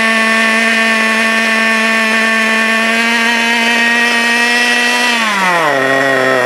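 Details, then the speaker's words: FTX Carnage 1/10 nitro truck, GO .18 engine, warm, after needle tuning: idle screw turned counterclockwise, high steady buzz drops smoothly to a lower even idle that holds on its own. Normal idle. "Don't turn it too low, otherwise the engine will quit. Just enough so that it will sit there and sing by itself."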